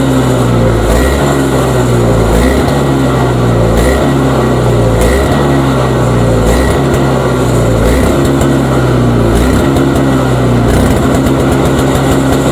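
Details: Toro two-stroke single-stage snowblower, owned about five years, long-standing surging: revs swell and drop about every second and a half in a steady cycle, a lean surge; carburetor suspected.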